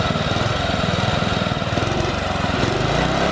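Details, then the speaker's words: Old Murray lawn tractor, single-cylinder, after carburetor adjustments: steady, even beat without stumbling or cutting out; runs much better. "some adjustments in the carburetor running much better so now now you can drive it without cutting out all the time"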